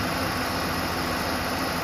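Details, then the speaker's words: 2007 Ford Explorer XLT 4.6L 3-valve V8, about 110k miles, idling after the serpentine belt groove pulley with a bad bearing was replaced; the high-pitched whine that rose with rpm is gone, leaving a steady, smooth V8 idle. "success the whining noise is gone everything is back together sounds great"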